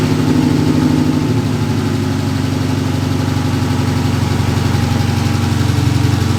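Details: Dodge Challenger V6 after spark plug change for cylinder 1 misfire: smooth even idle with steady low hum, no stumble or shake; vibration gone, misfire fixed.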